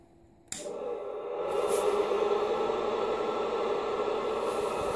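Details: Fan on an AB-biased amplifier fed by an LM7812 12 V regulator with no capacitance on the hot bus: a steady wavering whine from power-on, heard with the mic held to the radio speaker; the regulator oscillates and feeds interference through the coax.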